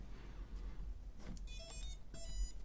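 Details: Pavo Pico drone rebuilt on a replacement frame, powered up on the bench: two clear sets of short, rising electronic chirps from the motors; normal ESC startup tones.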